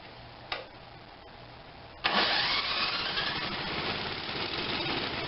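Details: Tecumseh 5.5 hp small engine with electric start and a stuck valve causing no compression: one pull doesn't catch, then it fires and runs with an uneven, hunting beat; owner suspects low compression and is unsure of the fuel supply; hard start, rough running.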